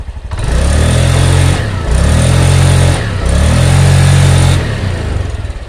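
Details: 2020 Honda Beat LED scooter CVT on stand after engine oil change (oil had run out), previously rough and noisy on throttle: three clean rev-ups, smooth even tone, no rattle.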